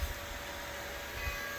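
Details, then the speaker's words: Old rusty motor refitted with new 6203ZZ bearings and driven by a VFD at 60 Hz: steady whine with a rough scraping undertone at start-up. Something may be binding inside and clunks even at 10–30 Hz, pointing to the rotor rubbing the stator. "Ooh, that doesn't sound all that great. Something must have been in there."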